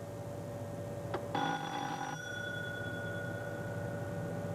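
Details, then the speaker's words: Hawker Siddeley 700 cockpit fire detection test, channel 1: after pushing the test button and de-isolating bell number 1, a clear fire warning bell rings for about a second over quiet cabin hum, then stops cleanly; the bell works on test. "I'll now go up and de-isolate bell number 1, and I should hear the"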